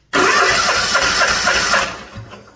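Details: 2018 Cub Cadet Z-Force SX 24 hp two-cylinder zero-turn mower, compression test on cylinder 1 with charged battery: starter spins through even compression strokes then winds down; about 140 psi; healthy.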